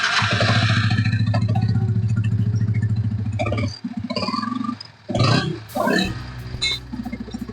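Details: Yamaha R15 V3 idling, camera near engine: coarse rapid gear rattle over the low beat, quieter with clutch pulled and loud gad-gad on release; broken balancer pinion teeth, balancer gear to be replaced.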